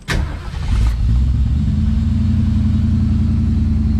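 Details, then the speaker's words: 1971 Ford Maverick 302 V8 after the Edelbrock Pro Flo 4 EFI swap: brief crank, catches within about a second and settles into a steady, even idle. Clean, quick start the owner never got with the carburetor. "Easy start. Sounds great. Listen to that."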